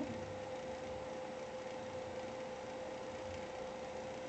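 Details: Graphics card fan running above 60% for over five minutes: a thin steady single-pitch whine over soft fan hiss that grows louder with time; noisy GPU fan.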